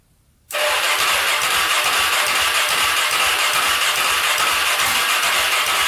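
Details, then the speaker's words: Polaris Predator 500cc quad after valve adjustment to spec, gas in carburetor: starter spins engine fast and evenly with no compression resistance, no firing or backfire; compression test reads zero. "so nothing not even a backfire absolutely nothing i don't get that i don't know all right still can't get it compression uh test still says zero"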